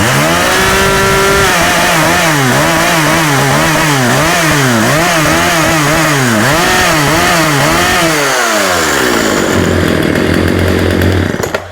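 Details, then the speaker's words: Husqvarna 36 chainsaw, hot, after carb clean-out: revs hunt up and down, sag and die, same cutting out as before though stop button now works. Coil suspected; spark plug lead then found chafed through. "So, it's doing the same thing, but the stop button works now. So, I'm thinking I'm going to be thinking it's the coil."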